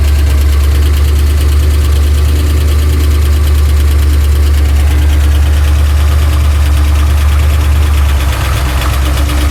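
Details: Pontiac Trans Am idle, deep and loud, with uneven knock about three per second spread through the engine; ticking turned deeper, oil pressure erratic; owner suspects crank, not confirmed.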